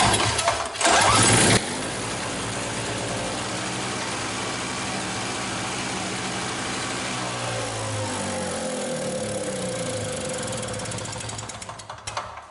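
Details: MTD two-stroke snowblower, free non-runner, kill wire grounded to muffler bypassing suspect key switch: engine catches, holds steady fast idle about ten seconds, then winds down and dies; ignition cutoff works, key switch needs replacing.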